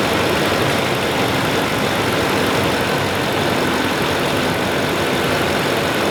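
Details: 2012 Tundra idling after PCV valve replacement: steady, even engine note with no knocks, ticks or hunting, settling straight in. Sounds healthy.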